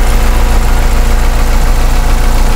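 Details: Honda car engine idling during a PCV valve check: low, steady idle with an even beat and no stumbling or hunting; blocking the PCV line drops rpm and makes it shake, while open it idles smoother.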